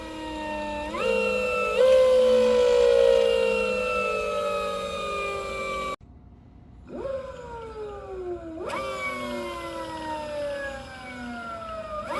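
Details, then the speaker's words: ELX600 electric motorcycle (96V 88.2Ah battery) motor sound test after fitting a new controller at stock settings, done to fix a phase current overflow. Smooth whine rises and falls cleanly, with none of the rubbing heard with the old controller. "now y'all let me know does that sound better to me the new controller sounds cleaner clearer"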